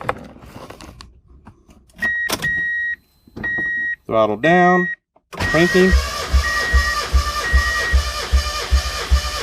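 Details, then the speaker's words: Boosted turbo Miata, warm engine, plugs out, throttle floored to cut fuel, cranking for compression test on cylinder one: steady even starter pulses about two a second, no misses or drag; reads 190 psi. Normal cranking during compression test. "the idea is to crank it she's usually gonna take six or seven cranks crank it crank it crank it it gets up to where it needs to be"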